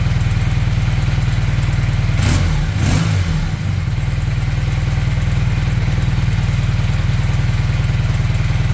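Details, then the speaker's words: Honda CB400T Dream twin after leaning the rich mixture, idle set near 1250 rpm, temporary fuel tank: even, steady beat with one brief thump, less lumpy; carbs well balanced. "es seem to be ticking over better less lumpy I've altered The Tick over back to around about 1200"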